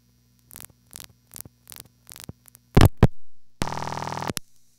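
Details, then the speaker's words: No. 1 crossbar office: five evenly spaced relay clicks, a loud clack, then steady buzzing; the sender grounded the second-trial lead, and the marker retried via a second-trial route through the panel switch. "the marker sees the ground on that lead and automatically advances to one of its second trial routes which again happens to be through our panel switch"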